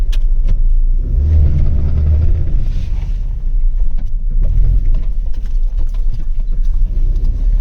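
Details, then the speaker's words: Maruti Wagon R turning slowly, sharp irregular cut-cut clicks over road rumble when turning left and right; worn drive shaft CV joint, suspected left side. "मैं आपको य आवाज बता देता हूं य आवाज है ड्राइव शाफ्ट की आई थिंक लेफ्ट साइड के जो ड्राइव शाफ्ट है उसमें आवाज बन चुकी है"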